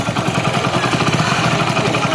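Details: Hero Splendor Plus single-cylinder motorcycle at idle after tappet adjustment: steady even thump, no sharp ticking from the valve cover; earlier tapping was tappet, not timing chain.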